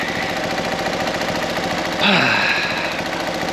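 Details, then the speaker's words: Fiat 500 TwinAir with a fresh engine, fully warm after about 15 minutes of idling: quick, uneven metallic clinking over the idle from an unfastened exhaust bracket rattling where the exhaust meets the bottom of the cat. "if you can hear a real metallicy clinking clankering flippity sound um that's just the bracket for the weather exhaust meets the bottom of the cat i haven't done it up so it's just rattling around"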